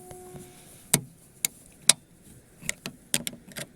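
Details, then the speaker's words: Lada Vesta SW Cross tailgate lock, which sticks in frost because the thick factory grease freezes the latch spring, shown before silicone spray; sharp, crisp single clicks about once a second as the latch snaps and releases, no grinding or sticking, working normally. "нас фиксатор это защелкивается когда нажимаем на кнопку он ее оттягивает in отскакивает"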